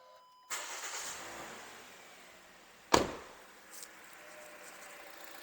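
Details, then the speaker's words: Toyota Wish, after replacing alternator pulley: cranks and settles into quiet, even idle with no squeal, chirp or rattle; normal idle, noise gone. "ó sem o barulho já ó só o barulho normal do motor só para efeitos didático para vocês trocou a polia acabou o barulho agora o motor tá silencioso normal o barulho do motor"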